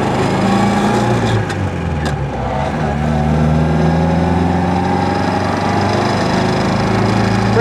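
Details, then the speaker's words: 1953 MG TD being driven after an engine teardown and an SU carburetor and timing tune. Oil pressure is about 50 psi and water temperature is 170°F. The engine note is smooth, with good power, no carburetor pops and no hiccups; it runs well tuned. "then we'll take it for a drive and see how well this works huh well so far the car seems to be running really nicely"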